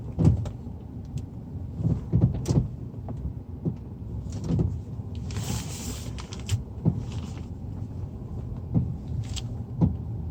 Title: Стук подвески